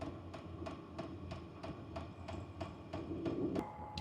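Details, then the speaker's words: H-Calory diesel heater priming on start-up at level 1: sharp, steady ticks about three a second over a low hum. The ticking slows once running and speeds up at higher heat levels. "Now you can hear the ticking. The ticking does go down once it starts up. Right now it's just priming."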